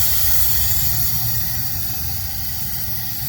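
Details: Mazda Skyactiv engine locked up by debris in a cylinder after carbon cleaning, valve cover off, engine not running: steady loud hiss of compressed air in a leak-down test, a big loss, probably past the intake valve seats.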